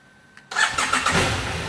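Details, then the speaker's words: Motorcycle in Asunción that suddenly would not start, with no warnings on the dash (fuel pump suspected): silence, then the engine abruptly catches and settles into a rough idle. It starts after an intermittent no-start; the cause is unknown. "Pegou. Rapaz, que susto, hein?"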